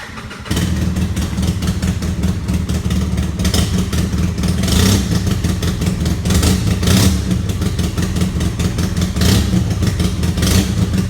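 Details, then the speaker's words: 2008 Polaris RZR 800 EFI twin-cylinder utility vehicle starting and idling: loud, raspy, puffing exhaust leak from a cracked exhaust manifold, pretty bad; Gibson exhaust planned instead of welding. "That exhaust leak, it's pretty bad. Not terrible though."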